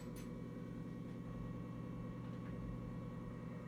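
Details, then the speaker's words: Coleman forced-air furnace after pressure switch replacement: quiet, steady low hum when turned on, then the unit shuts off; owner suspects the switch wires need to be in a certain position; not working. "okay I think it's not working at I turned on the heater you can hear it like humming"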